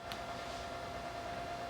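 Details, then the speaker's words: SAM Coupé booted with SAM Extender and SAM HDMI attached: faint steady high tone over soft hiss through the speakers; speaker-cable feedback first suspected, owner later suspects the floppy drive as the interference source. "now i'm getting a noise i have a feeling i'm getting feedback from the speaker cable almost sounds like that"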